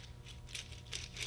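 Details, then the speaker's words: Orwell truck transmission rebuild, small ball bearing spun by hand: gritty, ratchety clicking rising and fading in bursts; worn rolling bearing, junk. "that doesn't sound so good does it here's another one let's listen to that these are ball bearings but smaller version of what was here by the way this one [Music] junk"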